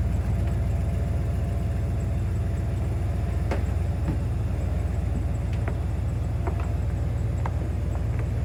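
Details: 1995 Chevrolet Impala SS with crate LT1 355 and LT4 Hot Cam, after exhaust leak repair: deep, steady, slightly lumpy V8 idle rumble, no puffing or ticking; normal.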